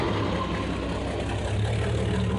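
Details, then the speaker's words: 1989 Jeep Cherokee 4.0L I6 Renix, just restarted after replacing the leaking fuel tank and fuel pump; it was hard to start until the starter was whacked and the pump purged air. Low idle with a slightly uneven, lumpy beat. Rough running. "sound a little rough it didn't like starting at first but a couple whacks to the starter got that thing dislodged and once the fuel pump got all the air out it's running"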